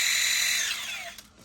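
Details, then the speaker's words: RC crawler with a cheap 900 kV 3648 outrunner on an AG Innovations Ninja micro ESC and a 3S battery: high, clean whine sliding smoothly down as it slows, no rasp or stutter, turbo-diesel-like under load rather than an outrunner howl; healthy. "And the motor under load has a very turbo diesel. But it doesn't really sound outrunnery to me. It doesn't have that weird outrunner howl or even the Castle 14 series note."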